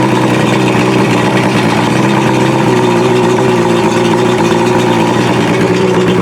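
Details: Outboard motor started after raising the fast idle and holding the key pushed in (choke/primer) for about four seconds: a steady, even warm-up idle with no misses or surging. It is now starting and running normally.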